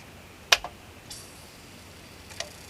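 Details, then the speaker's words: CD player: a sharp tick then softer ticks and whirs as the tracking motor moves the pickup outward hunting for the first track after play pressed, normal seek. "can you hear that sort of noise as the tracking motor goes a bit once you tell it to play it hunts it moves in the disc bit further hunting for the first track"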